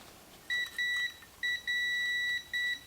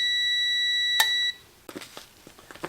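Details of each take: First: 1952 GM Autronic-Eye vacuum-tube headlight dimmer for a 1953 classic car, testing relay: tester beep cuts in and out in short uneven bursts; relay points left open long-term have oxidized, making intermittent contact and needing cleaning. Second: 1952 GM Autronic-Eye vacuum-tube headlight dimmer for a 1953 car: clean, steady high-pitched tester tone with no dropouts, then a click, where earlier it cut in and out; relay contacts now making solid contact.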